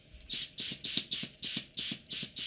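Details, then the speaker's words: Airbrush on a compressor: sharp, hissy popping and clicking about three and a half times per second while air flows; the air valve assembly has come loose and does not seal at its base, and tightening it fixes it. "so if you can hear this noise you hear about clicking but popping sounds what that is is this under here is not screwed in properly so this part here this one has become loose okay"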